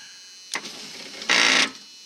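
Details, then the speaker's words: 1990 Dodge camper van, passenger power window, key on: a short buzz then a harsh high whirring grind under half a second, window not moving; the motor runs but something slips inside, owner suspects a stripped gear. "nothing although the motor I can hear the motor was trying it to go sounds like a strip here or something"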